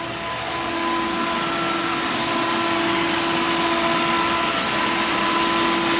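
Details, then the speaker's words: Pool pump at a 1970s East Dallas home during inspection, not self-priming: steady motor hum with a hissy rush of air and water. The pump runs but has not caught its prime. Pool pump not primed. "i'm going to come over here because our pool is not self-priming how about that"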